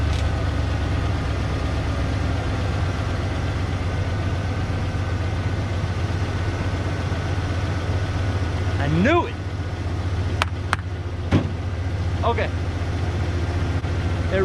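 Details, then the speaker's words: 1992 Ford F150 XLT after transmission work: a smooth, even low idle with no misses, knocks or ticks; runs well. "runs so well I think let's take a look at it"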